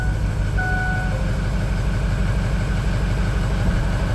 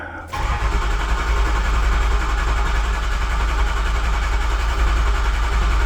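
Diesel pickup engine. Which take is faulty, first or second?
first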